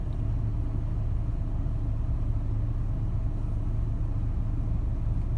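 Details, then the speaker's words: 2004 Chevy Trailblazer after fan clutch replacement for a P0128 code, engine held at about 1700 rpm while fan speed stays around 500–600; steady low rumble with even fan whoosh, no roar or cycling: normal fan clutch operation. "Yeah, but it doesn't go up with. I'm holding it at about 1700 RPM, and it's staying at 500-ish, 600-ish."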